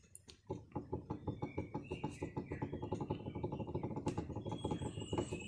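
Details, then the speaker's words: Kenari car: dry, loose clicking rattle from under the steering, about two knocks a second, while driving, worse on gravel roads, with steering free play; noise is not from the engine. Cause: worn steering shaft U-joint bearing, replaced. "jadi cash kereta nih ada satu Dek getaran bunyi cemilan nah masa memandu ada bunyi macam tuh yang datang daripada bawah steering agak mengganggu jugalah"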